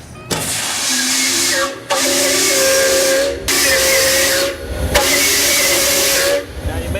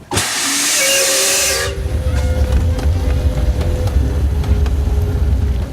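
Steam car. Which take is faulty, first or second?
second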